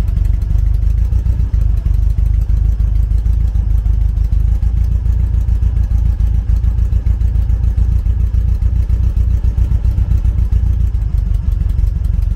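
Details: 1974 VW Beetle with Weber IDF carbs: engine revved hard to try to blow out a blocked idle jet on the number three cylinder, which was dead on the HT-lead pull test. It is still popping and stumbling at about 3–4 irregular beats a second, so the idle circuit is still not clean.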